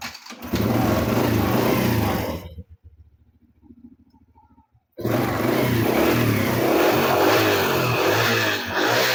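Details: Honda Supra motorcycle, started after the flooding carburetor was fixed; the carb is now dry. A steady, even single-cylinder beat settles back to a clean idle after a short pause. Normal running.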